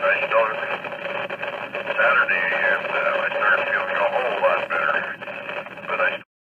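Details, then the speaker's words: Yaesu FT-857D receive audio on FM with failing ceramic IF filters in the second IF stage: grainy, narrow audio with distinctive pops from subtle arcing in the filters; fix is replacing the filters. "following as an example of the receive audio on FM with the bad filters note the graininess of the audio and listen for the popping noises I mentioned earlier from the subtle arcing in the filters it should be very distinctive"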